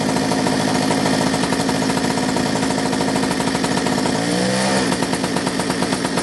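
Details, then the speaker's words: Restored two-stroke mini moto, hot day: rapid putter keeps going, stumbles briefly, then picks up again. The faulty kill switch isn't cutting ignition properly; later it kind of works. "I find a way to turn it off. The kill switch is kind of trying to work, but it's not working very well. You can hear it."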